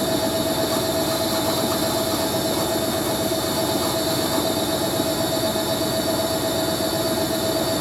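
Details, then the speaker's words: Hoover A3060 Electronic 1100 washing machine, Fast Coloureds 60°C programme, high-speed spin with slightly unbalanced load: thin constant squeal over the drum rush; motor bearings dry, need lubricating or greasing. "Motor bearings kind of a bit dry, I have to give them a bit of lubrication. For a load that's a bit unbalanced, it's actually quite stable, that is, really. Yeah, it sounds like the motor bearing is going to need oiling up."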